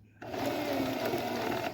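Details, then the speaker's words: Singer Heavy Duty 44S sewing machine after switching to correct 15J bobbin and realigning the finger to the spring; quick even needle chatter about 1.5 seconds, smooth without knocks, stitching in reverse; normal sewing. "All right, and then we can reverse it. Got to keep my finger out of the way because I always end up hurting myself, so I put my finger on the reverse."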